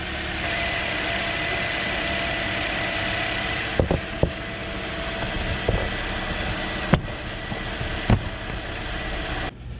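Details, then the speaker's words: 2009 Toyota Corolla 1.8 2ZR-FE at idle after replacing the bad cylinder 2 ignition coil (codes P0302, P0352): evenly running four-cylinder with a steady hum and faint whine, with no misfire or stumble. "okay so it's running smooth now no more misfire"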